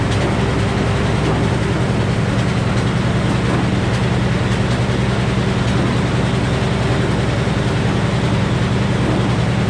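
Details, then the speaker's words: Old Frick sawmill cutting poplar into decking boards: a steady, even roar with constant low hum and no knocks or surging; cutting normally before a later breakdown, boards accurate to about 1/16 inch. "And the boards we're cutting look pretty good."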